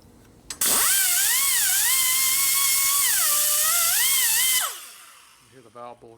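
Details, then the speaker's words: Die grinder porting an aluminum valve bowl on an S&S Evo Harley head, steel valve seat used as a guide: high-pitched whine that sags in pitch each time the cutter bites into the soft aluminum, then recovers. "I use the valve seat as a guide because the seat's steel, doesn't cut too much, the aluminum behind it does."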